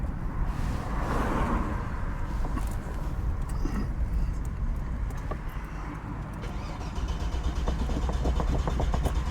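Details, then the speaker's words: 45-year-old Vauxhall Royale coupé, 2.8L straight six, on its first test drive after rebuild and cam run-in: the engine falters and dies, then uneven cranking won't catch; fuel starvation from a rust-clogged fuel system. "Sounds like fuel starvation."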